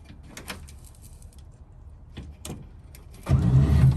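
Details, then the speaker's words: Bagged 1955 Chevy, in-car, first try after bolts and wiring were redone: a few faint clicks, then the starter spins the engine with a loose, uneven churn but it never catches; crank no start, fuel line suspected next. "Oh! It's not fixed. Dang it. Well, that didn't work."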